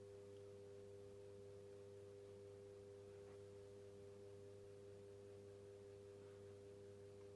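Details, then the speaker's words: 1990s Pifco 12-inch desk fan running with a low, steady motor hum, faint even tone, no ticking, scraping or wobble; runs smoothly and quietly, giving a slight breeze. "still works really really well actually I'm going to move it over slightly so yeah so listen to that nice and quiet he's actually giv out a little bit of a breeze"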